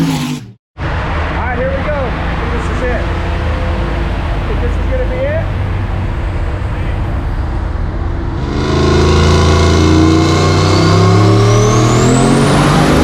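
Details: Turbo 4.8-litre stock-bottom-end LS in a 1965 Pontiac Tempest on a chassis dyno, with a stiffer wastegate spring. A heavy, steady roar climbs cleanly in pitch under full load with no misses, making about 780 hp.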